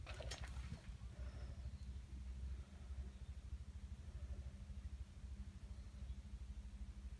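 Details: Honda Just motorcycle that sat for 35 years and is running poorly, before its second carburetor cleaning: a small single-cylinder putters at low idle with slightly uneven beats, about two a second. Rough running; cause suspected to be the carburetor.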